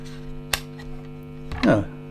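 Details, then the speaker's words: Guitar effects pedal board powered by the pedal supply's supplied wall-wart power supply: steady low buzz with a stack of even overtones, one sharp click and a brief scrape; noisy supply putting mains hum into the signal chain. "I thought well I'll check to see how noisy the actual power supply is pretty noisy"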